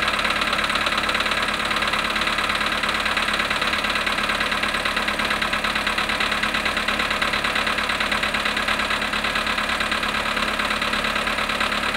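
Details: Volkswagen Polo sedan cold start at -5.5°C after standing 18 hours, 18,618 km: steady fast ticking about two knocks a second at cold idle; engine knock, cause not yet determined.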